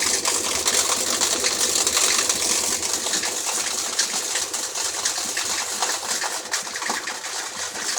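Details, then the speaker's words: Samsung 7.5 kg automatic washer on spin after cleaning for an error: fast, uneven metallic clatter over the splashing spin; a protruding plastic piece was found striking the spinning top part of the tub. "Matatapos na siya parang may naririnig tayo na kumakalansing ah baka yun yung nalaglag sa loob parang"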